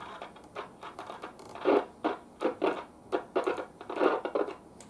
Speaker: I'm going to have to pull that apart. The tuning condenser, it's got a bad spot.